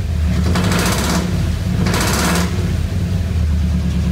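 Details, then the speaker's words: 1985 Ford Bronco V8 just started after slow fuel delivery: deep rough rumble with two short hissy bursts, pretty loud exhaust; a burning smell followed and the air filter caught fire, likely from a backfire. "there we go all right it started up got pretty loud exhaust on it"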